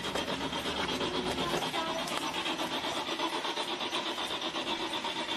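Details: Car cranking, strong smell of gas, owner suspects it is flooded: steady rasping crank about three beats a second that never catches or fires; turns over but won't start.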